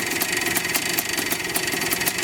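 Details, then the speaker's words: 1984 Yamaha IT490 two-stroke, slightly tired, idling after revival: sharp regular knock about five times a second over a busy idle; bottom end sounds loose, always has; owner unsure if normal or needing rebuild. "Bottom end sounds a little loose though. It's always sounded like that. I don't know if that's just normal or if that bottom end needs to be rebuilt, but look at that, the kill switch even works."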